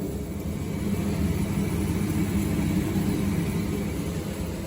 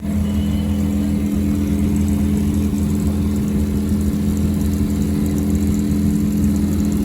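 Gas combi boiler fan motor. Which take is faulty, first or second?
second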